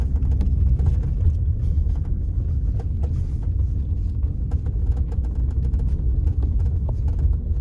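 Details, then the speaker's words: Kia Rio X-Line driven over bumps and potholes: sparse light clicks and creaks from the rear over road rumble, the folding rear seatback latch bracket rattling because the seatback plays on uneven roads; fix is wrapping the bracket with electrical tape. "И из-за того что спинка на неровностях немного играет происходит вот здесь вот шум именно от этой скобы и вот от этого замка"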